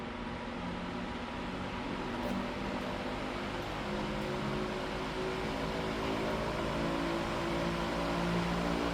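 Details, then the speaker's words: High-velocity fan started on low speed after balloon strings were removed from it: uneven, pulsing whir with a steady wobble about four times a second, visibly shaking and stopping fast; fan blade imbalance. "Holy shit, this thing's off balance as a motherfucker. Christ. I don't know if you guys can see this thing shaking, but It's stopping pretty fast."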